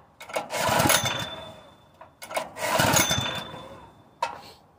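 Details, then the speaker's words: Honda GX160 air compressor engine on propane sputters in uneven bursts that sag to near silence and runs only about a minute before dying, as it also did on gasoline; owner suspects weak valve springs and that a valve job is needed. "the when it does run it only runs for a [Applause] minute this thing is so sensitive anything I do I don't think it's sensitive I think just it's ready to die at any moment"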